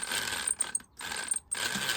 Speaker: so we just touch these uh wires against the motor and you can hear that it's running okay